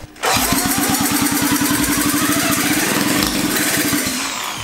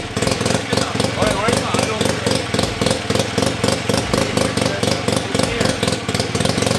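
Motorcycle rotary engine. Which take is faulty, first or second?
first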